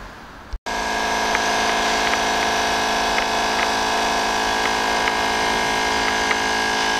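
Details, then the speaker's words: BMW 316i burning oil, smoke-pressure test: faint irregular popcorn-like pops over steady hiss of pressurized smoke from oil pooled in the intercooler. "você está escutando esse barulhinho parece uma pipoca estourando aqui no fundo é"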